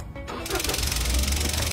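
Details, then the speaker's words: Freshly started petrol car engine with a strange fast, even ticking buzz that stops immediately when the canister purge valve is unplugged; the faulty valve is not closing. "Tu entends ce bruit étrange dans le moteur ? Oui, ça ne sent pas bon du tout. Mais quand je débranche ceci, le bruit disparaît immédiatement."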